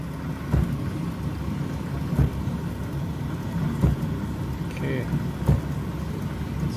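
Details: Electrolux inverter dryer TDH3497RDW, which turned on but its drum didn't spin due to a broken belt, after repair: low steady hum with a soft thump about every 1.7 seconds as the drum turns; running smoothly.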